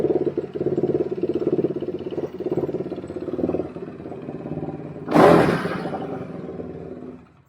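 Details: Quadracer LTR450 single-cylinder ATV after cleaning the dirty fuel injection system and removing the inline filter: quick, even thumping idle with one clean throttle blip before shutoff; normal healthy idle.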